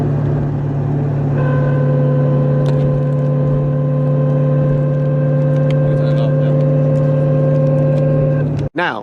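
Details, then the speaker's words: C5 Corvette Z06 cruising around 2000 rpm on street or highway: steady constant-pitch whine over road rumble, attributed to rear differential; seller believes the torque tube couplers are the cause. "the second issue is that about 2000 rpm i can be on the street or i can be on the highway and i get this whining noise from the rear differential"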